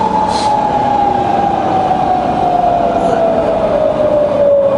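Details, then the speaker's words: Fully rebuilt Bridgeport variable-speed milling machine, spindle switched to low range, around 300 RPM easing down: clean quiet gear whine dropping smoothly with speed, no knocks or grinding; head runs quiet and healthy. "It's just as quiet in low range. 300 now in low."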